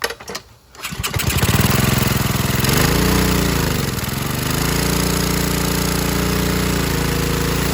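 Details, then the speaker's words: 2015 Ryobi 3100 PSI, 2.5 GPM pressure washer with Honda GCV190, started on choke with air filter off: after carb cleaning and adjusting (moved about 1/8 inch) and lubricating the idle-down cable, it pulls through, dips, recovers and runs steadily. It used to just die. "yeah it worked before it wouldn't do anything like that it would just die so combination of maybe dirty carve that that the wire was misadjusted"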